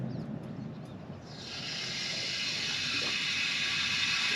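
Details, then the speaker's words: Broken copper water main just repaired with a clamped compression fitting, water turned back on with an indoor faucet open to bleed the lot of air in the line: steady high hiss of water and air rushing through the refilled pipe. "all right a ton of air has gotten into our line down there so i've opened up a faucet on the inside of the house and we are ready to open up this water"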